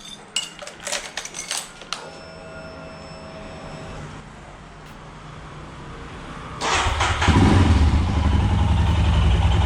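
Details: Royal Enfield Himalayan single just after DIY oil change with Motul 5100 15W50 (2 litres) and new filter at 15,000 km: clicks, pause, then fires and settles into even, steady low thumping idle, no knocks; no leaks. Normal idle.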